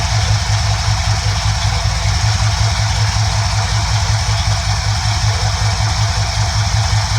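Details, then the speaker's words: 1971 Ford F100 302 small-block V8 after adjusting carburetor mixture screws: steady, even low-pitched idle with a regular beat and no stumble or miss; smooth, healthy idle. "you feel that your engine is running nice and smooth once again"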